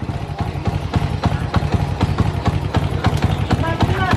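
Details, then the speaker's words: Honda Supra motorcycle, unstable and surging when revved: uneven idle after the throttle is released, with a sharp kletek clicking about three to four times a second from the head; valvetrain ticking from low compression. "dilepas gas pun suaranya kayak gini gak stabil dan ada bunyi ck ya di bagian sini ya ya bunyi kletek-kletek sini dan sini ya"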